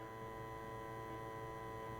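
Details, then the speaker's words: Nineties cassette boombox with added Bluetooth module, in Bluetooth mode; quiet constant low buzz with faint high whine, owner suspects hum from routing module power ground to the selector switch audio ground. "but the problem is um that uh that there's hum on it and I'll just show it to you here with it okay so we're in Bluetooth mode"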